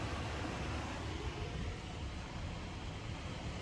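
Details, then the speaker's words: 2012 Nissan NV3500 rear AC blower motor running just above 0 after being cranked to full: soft, steady low whir easing down smoothly with no ticking or scraping; normal operation. "That's just a little bit off of 0. You hear it slowing back down."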